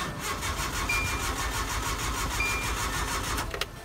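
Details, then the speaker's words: Truck that sputtered and died while driving at night: steady starter cranking about three turns a second with no firing; no spark first suspected, but it was out of fuel and started after gas was added and primed. "sure enough i'm driving down the road and start spitting and sputtering and died and now every time i go to crank it we just get"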